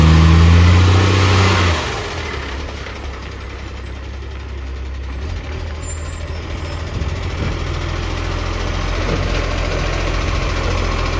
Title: LOUD Exhaust Leak - Ex Canberra 728